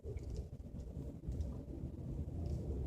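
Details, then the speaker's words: 2012 L322 Range Rover with the right-hand front sway bar link removed, test-driven at about 10 mph over bumps: only soft road rumble, no clunk or rattle, so the noise is isolated to the sway bar links or mounts. "already tell it's gone there's nothing no clunking no rattle so that means our problem is isolated to the sway bar"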